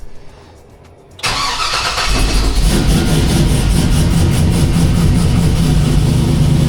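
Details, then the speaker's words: K5 Blazer with 5.3 LS, cold morning start after overnight sit, following intake gasket replacement for hard starting: long crank before firing, then a loping, uneven idle like a big cam, which it does not have; hard start persists, cause unknown. "makes it sound like it's got a huge cam in it, which it does not."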